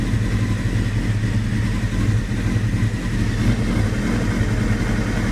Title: 96 F3 rough idle